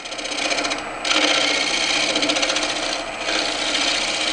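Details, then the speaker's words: Green-turned elm bowl, dried and gone oval, back on the lathe: steady, unbroken rasping scrape with no catches as a gouge turned on its side scrapes across the grain on the trued-up area. "right now i was just scraping and that's that's okay it ain't pretty but you level off t"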